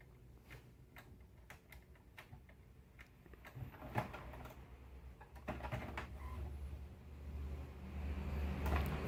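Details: HP Smart Tank 617/517 printer after the noise was fixed, copying: quiet carriage ticks and soft feed motor runs, with no grinding or rattle.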